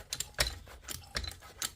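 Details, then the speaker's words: Trolley jack being topped up with oil and pumped with the bleed bung open: squishy clicks with every pump stroke, about two a second, as fresh oil pushes trapped air out of the jack. "But again, I can hear it squelching inside. So it's taking the oil, pushing the air out."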